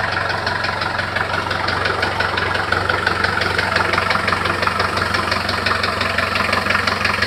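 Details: Engine at steady idle with a sharp, regular ticking knock about three per second, sounding mechanical from inside; source of the knock unknown.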